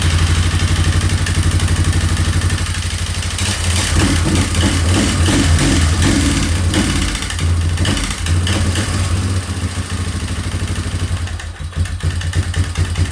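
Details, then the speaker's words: 2003 Yamaha Wolverine ATV single-cylinder, after rechecking timing (owner thinks it was slightly off): uneven idle that stumbles when revved and never settles, running rough; owner suspects a carb problem. "Okay. So, it runs better with no so probably has a car problem."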